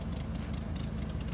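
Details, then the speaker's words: 1993 Toyota pickup 22RE after a no-start from fouled, gummed-up plugs: low, slightly uneven chugging idle with faint lope right after start, heavy whitish smoke clearing; rough idle, more work needed. "well it's running it'll clear up it'll clear up look it's clearing up already"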